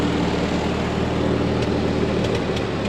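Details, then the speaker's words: Ford 8N tractor revived after sitting for years: steady low idle with sharp pops at irregular moments, coming and going; cause not confirmed, owner suspects carburetor adjustment or spark plugs. "I think I might need some carb adjustments. I've been tweaking it a little bit. And the popping kind of comes and goes, so"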